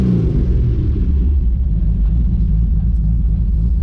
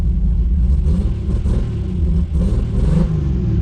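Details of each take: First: Built 2JZ-GTE in a 1995 Supra, after a faulty part was found and fixed, with a full exhaust and new mid pipe. A deep, steady idle rumble with an even exhaust beat, no knocks or ticks, then a brief chime; healthy idle with good oil pressure. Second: Built 2JZ-GTE in a 1995 Supra on Pro EFI, after coil swap: deep uneven exhaust rumble stumbling and hesitating as revs rise; spark tester shows no spark on one cylinder; dead cylinder.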